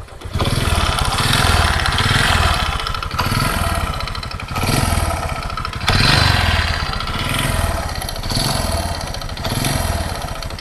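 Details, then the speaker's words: Honda Supra 125 carburetor motorcycle, about 2006–2007, revved in waves with a rough rattling knock under the exhaust note and no power, from worn piston and connecting rod. "ini suaranya kayak gini ya suaranya ke meletek otak-otak kotek kotek kotek kayak gitu ya"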